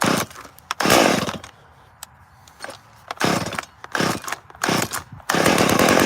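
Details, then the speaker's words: Small chainsaw on a cold start with no choke, running with a 14-inch bar and a baffled pipe, blipping between idle and full revs with a rough, gravelly rattle from worn crankshaft bearings needing replacement. "you can probably hear the bearing noise she needs a new set of bearings"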